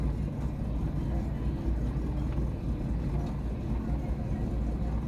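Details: Chevrolet Aveo engine idling: low, uneven, slightly lumpy idle instead of a smooth hum; rough idle, cause unknown.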